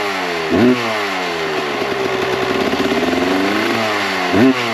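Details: 1998 Kawasaki KX125 two-stroke, rebuilt OEM carb on stock jets (42 pilot, 160 main): soft, uneven over-fuelled burble at idle between two sharp throttle blips; too rich, too much smoke, so jets are being reduced to 38/158.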